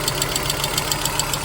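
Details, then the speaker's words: 1997 Volvo 850 at idle with crisp, regular ticks about seven per second, a light top-end tap; intermittent, stops once driven hard, no oil pressure light; owner suspects hydraulic lifters, not injectors. "to me it sounds like the slap of a little hydraulic piston in there"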